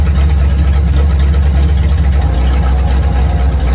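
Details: 1950 Ford flatbed dump truck, flathead V8, sitting about 40 years, idling on its carburetor after fuel system hookup; deep, steady low rumble, even beat, no knocks or misses, runs like new: normal idle.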